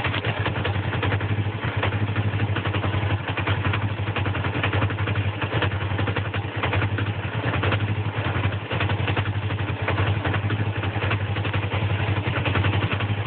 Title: Rough idle